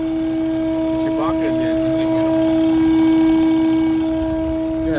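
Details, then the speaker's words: Car at about 120,000 miles, heard in the cabin while driving: a constant low humming drone under the engine noise. Owner suspects the PCV valve at the back of the intake has a torn diaphragm. "PCV valve probably a torn diaphragm back there making a bunch of noise and hear it in the cabin it's just a constant humming drone type noise"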